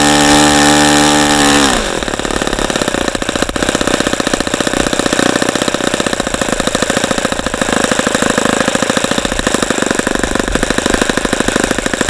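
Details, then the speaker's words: ASP FS65 glow engine on test stand, 29°F cold day, 5% nitro, OS F plug, APC 12x6 prop, started with lighter fluid; high scream drops to fast even popping idle about two to three beats a second; healthy idle. "okay so that was a that was a good run once we got the engine started"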